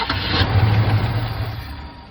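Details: 1975 Chevy C10 V8 started after sitting 18 years: starter churns briefly, then catches into a low, uneven rumble that settles as it keeps running on its own.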